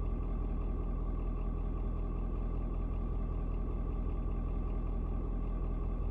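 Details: Ford Super Duty 6.7 diesel, about 11 minutes after a 56°F cold start, temp gauge barely moved: steady, even low clatter at idle after a slight rpm drop, no knocks or misses; owner unsure if block heater turning off; normal idle.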